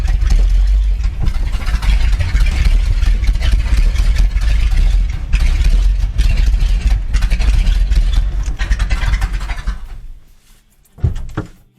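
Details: 1979 Ford F350 one-ton V8 running after about 15 years parked in a field, with the carburetor rebuilt and oil pressure good. Deep, steady V8 rumble holding an even idle for ten seconds before shutting off, with no knocks or misses.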